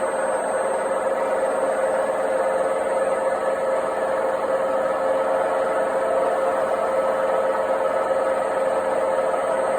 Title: Noisy failed washing machine bearings part 3